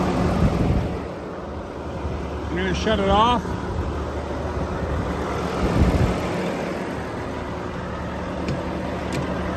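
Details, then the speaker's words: 2018 Volvo VNL630 truck, Volvo D13 455 hp, 1750 torque, iShift, engine hot (170°), fast idle with oil filler cap off showing no blow-by: steady raised diesel idle under constant fan roar, fan staying on because A/C left on; healthy, no leaks. "the fan was running continuously because I left the air conditioning on so the fan is the fan is going to cycle when the air conditioning is turned on it's just going to stay on"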